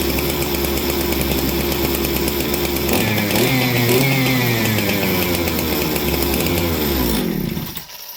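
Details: Unidentified 200-series chainsaw that sat for weeks: a crisp, even two-stroke buzz that revs cleanly and holds steady, then cuts off sharply at the kill switch; a healthy, strong-running saw.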